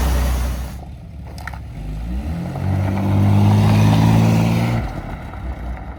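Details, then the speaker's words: Old car just after the fuel sender and hose were reinstalled: the engine catches and revs up to a rising, then steady drone with some clatter, then drops back. Running, but blowing smoke rings; a mouse nest was later found on top. "It's blowing smoke rings."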